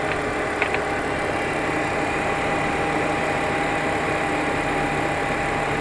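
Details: 2004 BMW 325xi E46, warm after 15-mile drive, began after thermostat and water pump replacement, persisted after new tensioner and idler pulleys: steady mid-pitched whine over even idle hum; whine at idle, bad alternator.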